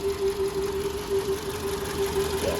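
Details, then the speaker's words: 2012 VW Polo Vivo petrol engine at idle: uneven, lumpy misfire with the engine shaking badly. Spark plugs are the first thing to check. "the engine is not stable. It's running shaky shaky shaky shaky is dancing a lot."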